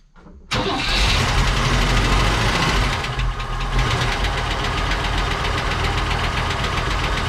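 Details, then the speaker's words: 1959 Cadillac project car, unstarted for 11 years, run after cleaning points and checking plugs: loose, uneven idle with fast light top-end ticking; noisy lifters or sticking valves suspected, not confirmed. "well it runs sounds like it's got some noisy lifters sticking valves all kinds of fun stuff but can get that fixed"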